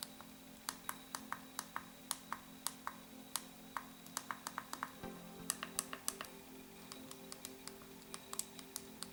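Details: RG35XX SP handheld before the tape button-fix mod: crisp, irregular button clicks, some sharper and louder; start/select roughly 70 dB, the other buttons roughly 60 dB, loud and clicky.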